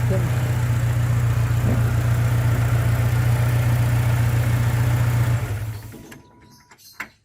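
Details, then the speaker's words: Toyota Vigo after fixing morning no-start by refilling empty radiator and low fuel: steady low even idle with firm regular beat, no misses or knocks, then engine shut off; running cool and normal. "นี่ก็ถือว่าสตาร์ทติดแล้วนะแกทำงานเย็นปกตินะถือว่าโชคดีมากนะ"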